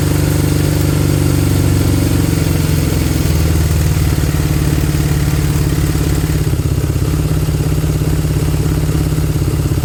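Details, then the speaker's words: Honda CB200 twin after fuel tap flow issue, idling to warm up and bed in rings, carbs may need cleaning: even steady low idle throb without stumbling or hunting; normal idle. "right I want it to idle for a good 5 to 10 minutes I'm not going to film the whole thing I just want to sit there heat up Let the Rings bed in 5 to 10 minutes and we'll see how it goes"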